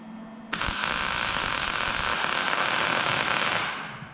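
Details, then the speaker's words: Welder test on spare truck brackets: about three seconds of harsh, uneven crackling and popping instead of a crisp sizzle, a rough, spattery weld with doubtful penetration. "I don't like the way that sounds. It doesn't sound good. It doesn't sound like a nice crisp weld."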